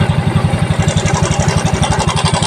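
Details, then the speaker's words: Mio Soul i scooter at idle, light metallic cam chain rattle riding on the quick exhaust pulse. The noise comes back when the turned cam chain tensioner is released. The tensioner is faulty and is to be replaced. "Ayan maingay na ngayon pawawalan natin yung ingay Sira na Ong tensioner niya Lagot na Lagot na"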